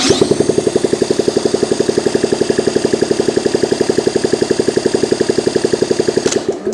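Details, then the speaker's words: Honda ST70 vintage motorcycle, first start attempt after sitting, ignition hotwired from stator straight to coil, electric starter: even cranking about three beats a second, never catches; cranks but won't start, spark not yet checked, starting fluid next. "make sure that we're getting spark okay before we check see if we have spark let's just squirt a little starting fluid in there"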